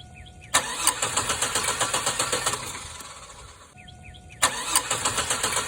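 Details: Chevrolet Vortec 4.3 cranks and catches, then runs with a rapid uneven chirping rattle from the belt drive; bad idler pulley.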